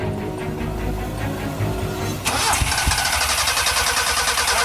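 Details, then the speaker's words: 1984 Isuzu Impulse barn find, first start in about 30 years after fixing a kinked fuel line: cranks about two seconds, catches and settles into a steady rev without sputtering; normal healthy engine start. "it sounds healthy really healthy"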